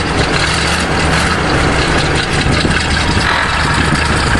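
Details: Chevrolet 427 big-block V8 dump truck idling after fuel pump fix, before test drive; even, steady rumble with no misses, knocks or rattles, idling cleanly; normal idle.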